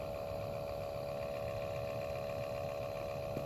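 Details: 2013 Toyota Prius C cabin blower motor running with a steady, noisy whirring hum with a strong tone. Nothing was found stuck inside, and the blower motor assembly was replaced.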